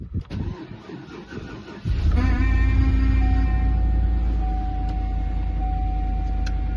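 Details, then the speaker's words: Cold start at -4°F of a GMC Yukon XL with Vortec engine: engine catches after a short crank, then a steady high whine rides over the rough cold idle and holds as it settles. "gotta love that vortex motor in the cold and always whine"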